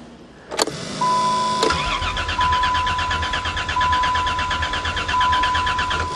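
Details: Old four-wheel-drive Caravan, cold start in winter snow after sitting. The starter churns steadily for about five seconds under a chime but never catches. Owner suspects the fuel leaked out or the tank rotted. Crank no-start.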